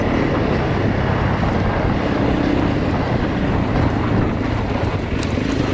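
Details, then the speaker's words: Honda CRF300 Rally on a road ride after top-end rebuild with new cam chain, tensioner and followers; previous hot, low-rev overrun noise no longer heard and it pulls well. Steady even engine drone, no knocks or ticks. "Finished the rebuild or top end and done a few lanes this morning and I think it's going much better. I can't hear the noise. It seems to pull really well at the moment, so couple of conclusions from what I've done."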